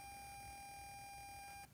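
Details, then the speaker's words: Ammo-box stereo with an amp with built-in Bluetooth on a 12.8 V battery: a thin steady whine over hiss that stops abruptly after a while. Owner suspects the cheap Bluetooth module. "so here's that noise I'm talking about with that Bluetooth I'm gonna figure here um but for some reason after a while it would just go away just like for no reason"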